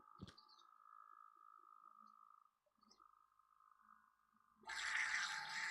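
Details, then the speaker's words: Salvaged Enermax Threadripper AIO liquid cooler, refilled: thin steady pump tone, then sudden loud frothy croaking and gurgling, like a duck, as air churns through the pump; air trapped in the coolant loop. "Wow. It's very frothy. I'm not surprised for what we're doing to it."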